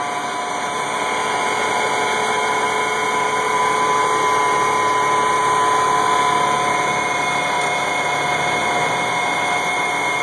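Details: 1986 AM General M35A2C (7,331 miles, 260 hours, all original) idling cold at 26 degrees after probably about 3 months unstarted; even diesel idle with a constant mechanical hum, no knocking or stumbling; a normal cold idle.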